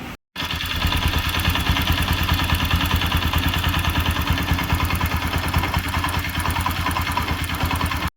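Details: Bajaj Pulsar AS200 BS3 single-cylinder before repair: idle with a fast, even ticking about twice a second over the beat, engine-side noise from damaged valve guide, valve also replaced afterward; valve train noise from worn valve guide.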